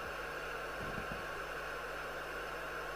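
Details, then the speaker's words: 1981 Harvard 420M CB27/81 UK FM CB radio (Cybernet 134 chassis) at full volume: a flat, constant hiss with no signal, because the squelch was modified to not work properly. "squelch isn't working properly I think it's been modified by A Silly Billy so it now hisses all the time"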